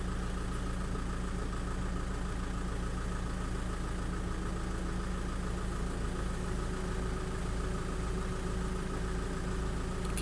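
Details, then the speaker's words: Audi/VW-group car checked with VCDS, AC on low, fan speed 1, recirculate, after 13 bar peak pressure: idle under an even whooshing hum as cooling fans kick in at high speed to cool the condenser. Normal. "You can hear the fans kicking in now, high speed. So it's cooling the condenser down."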